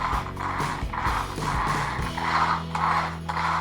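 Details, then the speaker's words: Traxxas Slash 4x4 after fitting a larger high-speed pinion, pushed in fully then letting the gears roll apart: light, loose whir with slight irregular ratcheting, no binding or grinding; pinion-to-spur mesh set correctly. "until it sounds kind of loose, just like that."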